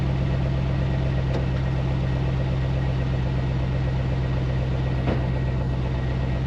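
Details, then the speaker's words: High-mileage 21-year-old 1999-2006 Chevy Silverado/GMC Sierra 1500 (GMT800) V8 just fitted with used long-tube headers: deep, even burble with a steady low rumble, no misses or ticks; normal healthy idle. "This thing sounds good. Yeah, I am a fan. Yep. I am a fan. It sounds great. Totally worth it."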